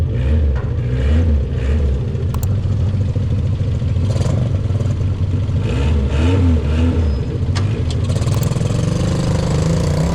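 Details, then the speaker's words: 1974 Fiat 125p pulling away: deep, loud rumble with raspy puffing tick on each firing pulse; exhaust leak traced to a hole in the middle silencer. "Dobra, maszyna wyjechała i to co słyszycie to oczywiście wydech jest gdzieś tutaj przepuszczający, ale gdzieś przy końcu [Muzyka] przepuszcza po nałączeniu."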